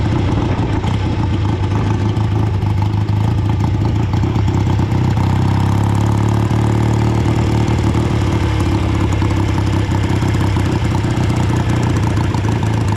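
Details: Old BSA twin-cylinder chopper on short road ride in rain after fuel tank cleaning and fixes: lumpy twin exhaust stumbling as revs climb, one cylinder weak, misfire under load; still running poorly, never dies, owner suspects carburetors or ignition.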